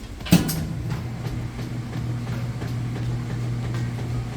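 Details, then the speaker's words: Whirlpool top-load washer mid wash cycle on its fourth test load: a thump, then a steady low motor hum with faint rhythmic swishing as it agitates; even, normal agitation. "Hear that agitation kick."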